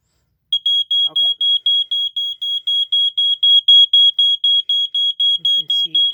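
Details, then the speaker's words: 1987 Wake and Warn 2 smoke detector, less rusted unit on an Energizer battery: loud piercing high beep pulsing about four times a second, strong and steady; working properly. "now this one works uh pretty good actually I was impressed watch this"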